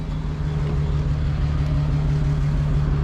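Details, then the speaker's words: 2020 Jeep Gladiator at night after towing, idling: deep, uneven lumpy idle with a cam-like lope about three times a second, one cylinder dropping out; misfire, cause not yet checked. "sounds like a cam i mean it actually sounds pretty good i'm not gonna lie but something's not too happy in there"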